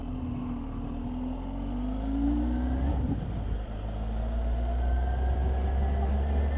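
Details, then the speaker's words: 2021 Kawasaki ZH2 with a supercharged inline-four, on the road: strong engine roar rising and falling with throttle, a faint supercharger chirp on top under load; normal, nothing wrong. "okay so that's the specs on the kawasaki zh2 nice sound and i don't know whether you could hear the chirping of the supercharger just now"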